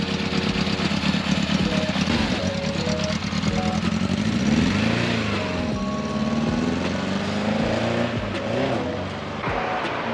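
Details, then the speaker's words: 1991 Yamaha XJ600 four-cylinder, bought cheap as cafe racer project, started first time on a jumped flat battery; first ride with smooth gear changes, revs climbing and dropping, deep slightly raspy but even exhaust, not too noisy; normal running. "sounds good as well for an older bike so uh it does sound good it's got that kind of it's got a bit of raspiness to it like a yeah it's not too noisy"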